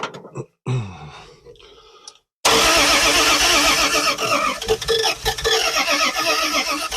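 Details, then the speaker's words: Engine sitting 40 years, weak battery charger, distributor advanced as far as it goes, more gas added to carburetor; after a short crank it fires into an uneven, stumbling run with surges and misses, a valve stuck again. "check my valves again that one's stuck again"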